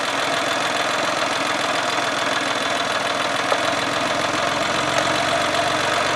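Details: Geo car idling after a few minutes running: uneven, rough, lumpy idle with fine steady knocking; cause unclear, not confirmed.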